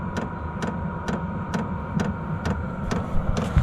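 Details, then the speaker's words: Vevor 8 kW 12 V diesel air heater turned down to setting 2 from 10, still warm: soft slow fuel pump ticks over a steady fan hum, quieter than the constant loud tick on high; normal low-setting operation. "still nice and warm and now it's just a slow little click"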